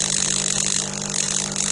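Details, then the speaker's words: Delonghi EC270 espresso machine, first run after disassembly, vibration pump with replacement spring: loud steady buzz over a low hum, running continuously with no water output; owner thinks the repair may have failed; spring later found too stiff. "Alors, il ne se passe rien pour l'instant. Mystère et deux de l'homme. J'ai peut-être pas réussi ma réparation finalement."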